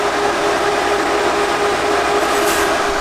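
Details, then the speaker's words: 12V UndermountAC compressor on a Transit van conversion, heard from outside on the low setting: a constant mid-pitched hum with an even rush, no rattles or surging, like a car running. The compressor is running smoothly. "I just wanted to hear what the compressor is like it basically just sounds like a car is running uh maybe like a Honda Civic or"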